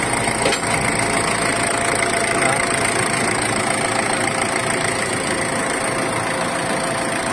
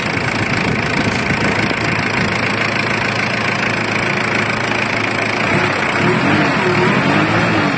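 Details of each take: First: Ford Everest diesel with a no-start glow plug problem, engine replaced and reported solved: steady idle with an even patter and faint high hiss. It starts and runs smoothly, with no misfire or knock. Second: Ford Everest diesel with a no-start glow plug problem, engine replaced: busy idle with a fairly regular clattering knock over the running engine. The cause isn't clear from the sound alone.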